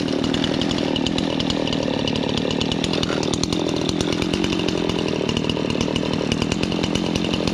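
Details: Old Stihl 026 two-stroke chainsaw, long neglected, after carburetor cleaning and fresh gas mix, at idle and revving: crisp even buzz with no stumbling or misfires; idle easy to adjust, bar oiling, running really well.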